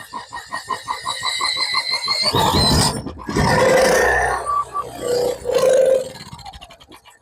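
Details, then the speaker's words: WEN 3500 portable generator with a 7 hp engine and a no-start fault: quick cranking chugs, then short ragged bursts of firing that die out, running only on starting fluid sprayed into the carburetor. It is not getting proper fuel. "It's a good sign. Well, maybe not a good sign, but see, it wanted to run when I sprayed starting fluid in it. So, it's not getting proper fuel."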